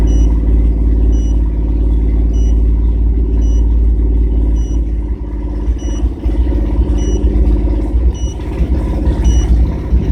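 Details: 1997 GMC Jimmy held at about 2000 rpm while reading live data: steady fast idle broken by an uneven stumbling pulse; engine misfire.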